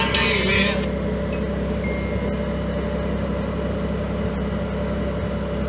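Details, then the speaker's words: 1986 Nissan 300ZX non-turbo 3.0L VG30 V6, 5-speed, just started; steady even fast idle, no misses or knocks, later drops to about 800 RPM; owner notes idle sometimes drops a lot, needing AC fan to raise it. "Now, I'm not a fan of a V6 engine, but this car actually sounds pretty good for, like I said, a V6."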